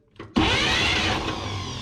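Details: 1951 Chevy 3100 engine during a compression test: a fast, steady starter crank with no firing; some cylinders have compression while stuck-open valves leave others with none.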